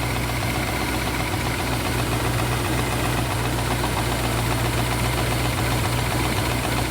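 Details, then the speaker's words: 1967 Rolls-Royce Silver Shadow, cold start at 35 °F in warm-up fast idle: light, uneven tapping about two per second; owner believes it is the hydraulic compressor running. "I don't know if you can hear that tapping is That Knocking that knocking noise that is this hydraulic compressor running"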